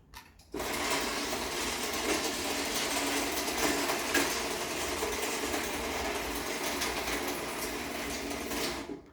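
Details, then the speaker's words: Challenger garage door opener on a rebuilt rail: constant metallic chain clatter through the travel with odd sharp pops over a quiet motor; the chain is noisy and pops, cause unknown. "you can hear the rail makes quite a bit of noise from the chain and the chain pops quite a bit too for some reason I don't know why that is"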